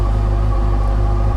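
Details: 2007 Yamaha FJR with used replacement engine fitted after original broke a valve in cylinder two, oil and coolant checked, charging 13.2 V: deep, steady, even idle rumble with no knocks or rattles; normal idle.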